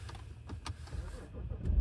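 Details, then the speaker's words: BMW 535i F10, N55 engine, 105,000 miles, after replacing VANOS solenoids: quick start then low steady idle with no knocks or stumbles, check engine light clears; normal start and idle. "Ignition, idle is good, check engine goes away. Sounds good. Sounds damn good actually for 105,000 miles, if I do say so myself."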